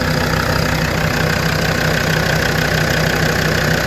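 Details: Land Rover Defender 130 TD5 diesel idling after new oil filter fitted, not yet warm: even clatter about three beats a second, steady low rumble, no misses, knocks or surging; sound idle.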